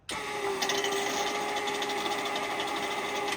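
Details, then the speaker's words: Newly replaced boat bilge pump, tested by filling the stern-gland drip tray and flipping the switch: a steady motor hum with a high whirr and even water rush, starting and stopping cleanly. It pumps normally. "So I'm gonna turn the pump on and see if it comes out. And I'm gonna step outside and try and film the water coming out. Right, I'm gonna flip the switch. I can hear it working."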